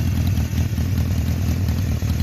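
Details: One-owner 1976 Honda CB750K (K6) SOHC inline four, 2,365 original miles, stored unridden since about 1989, on non-ethanol fuel: an even, steady low burble at idle with no misses, ticks or knocks. Normal idle.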